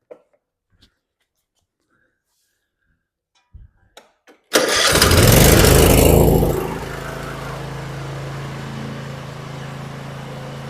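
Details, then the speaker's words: Cub Cadet Ultima ZT1 54" zero-turn after deck spindle replacement, blades engaged: cranks, fires, surges briefly, then even steady drone with no knocking or grinding; earlier noise gone, belt seems to shake slightly, normal deck running. "That sounds okay. Uh I don't like the way the the belt seems to still be shaking a little bit. I don't hear any shaking."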